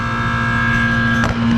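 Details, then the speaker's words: 39-year-old 1985 Carrier condenser, compressor starts but fan motor does not, drawing 2.3 amps: steady electrical hum with constant tone and no air rush; seized condenser fan motor, to be replaced. "Doing absolutely nothing. So we'll get one of the guys to swing back by here this afternoon and swap this fan motor out."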